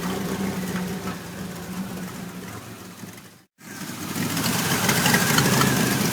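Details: Idle wavers and stumbles with an irregular shake on a 1991 Pontiac Firebird V6 that now starts but idles very rough, still setting codes 33 and 43; cause undetermined.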